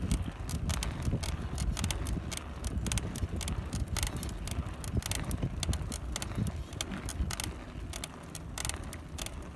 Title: cannondale FSI bb30 creaking noise 2